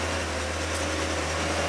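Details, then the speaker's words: Dodge Stratus, cold start with fuel nearly out: a quiet, steady low hum with no clicking or ticking and oil pressure at 60 psi. Normal idle, no lifter tick. "Oil pressure's up. She's not clicking or ticking. Yeah, she's 60 pounds. Good."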